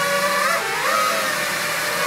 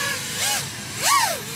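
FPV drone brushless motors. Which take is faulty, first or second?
first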